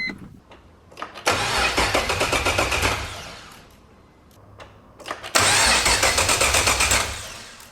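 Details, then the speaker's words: BMW E46 with LS3 swap, first crank test with no spark or fuel connected, belts off: two long bursts of even starter cranking about four turns a second, no firing; cranks but no start, as expected. "so it should at least try to crank it obviously won't start there's no spark there's no fuel but it should crank"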